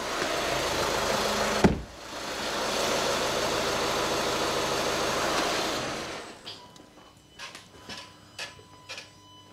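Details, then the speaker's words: 2011 VW Golf 1.6 TDI diesel just after oil and filter change, started and left ticking over unrevved: steady diesel clatter at even idle, no knocks or rattles, oil pressure light out; normal healthy idle. "I'm just gonna fire it up make sure the oil pressure light goes out and that sounds pretty good"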